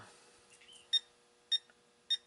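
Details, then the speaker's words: Digitrax Empire Builder DCC model railroad command station with a short: the system makes a noise, tries to reset, track power light goes off, then three short high beeps about half a second apart, the short-circuit alarm. "you can see that the track power status light goes off you can hear that the the system made noise then it tried to reset and it went back off then you heard the beeping the three beeps again"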